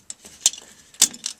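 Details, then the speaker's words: Whirlpool Duet Sport washer WFW9150 with F9 E1 no-drain error: pump hummed but impeller was jammed; after bailing water, turning the impeller by hand gives sharp irregular clinks from loose debris, maybe a rock, caught in the drain pump. "There's something rattling around in there, maybe a rock. But the impeller was at first jammed until I moved it with my finger."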